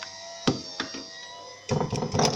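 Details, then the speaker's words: Fiat Cronos door with trim panel removed: hollow knocks and loose rattles inside the door, only when the window is lowered, none when raised; cause found to be a loose screw in the door. "Aí o que acontece, o barulho que é esse aqui, ó. Quando o vidro está abaixado, ele tem esse barulho."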